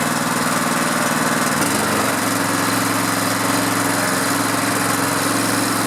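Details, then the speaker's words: Honda GX engine on a pressure washer that sat about 10 years, first pull start before oil change: steady, even engine drone with a brief speed dip that settles back smooth; runs healthy. "boy that sounded good"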